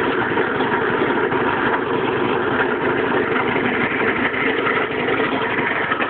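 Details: Piaggio engine at idle: busy, rattly idle at a steady speed with a rough, uneven clatter mixed in; abnormal engine noise, cause unknown.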